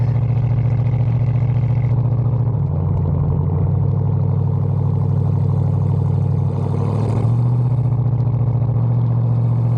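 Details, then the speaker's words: 1974 Bitter CD with Chevrolet 327 V8 pulling away under light throttle, uneven stumbling misfire under load, worse when hot; suspected carburetor first, fixes covered include HT leads, cracked distributor cap, points and condenser. "so here you can see uh pulling away here giving in a little bit of throttle and you can hear the misfire there"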